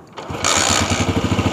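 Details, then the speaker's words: Honda CG125 motorcycle that won't hold idle despite new plug, ignition coil and CDI. Lumpy pulsing idle with a "fus-pus" hissing air sound from a torn carburetor insulator leaking air; it dies when given a little throttle. The insulator is to be replaced. "ये ये sound जो है ये फस पस की sound कर रहा है मींस कि एयर जो है"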